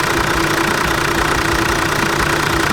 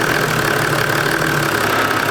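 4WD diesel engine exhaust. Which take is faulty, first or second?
second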